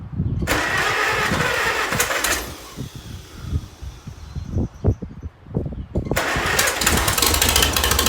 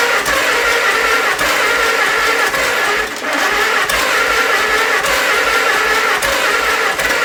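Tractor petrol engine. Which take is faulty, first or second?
second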